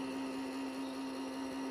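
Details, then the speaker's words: Yamaha Stagepas 300 PA system amplifier unit switched on: steady sharp hum near 270 Hz over a rough airy hiss, sounding like a noisy fan inside; cause suspected, not confirmed. "And you can quite hear there, noisy, sounds like noisy fans inside."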